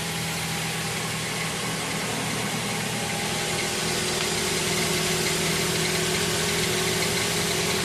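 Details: 2009 Scion xD, manual, idling with clutch being pressed in and out: steady idle with a quick, fairly regular high chirp about three times a second riding over the engine; source not yet identified.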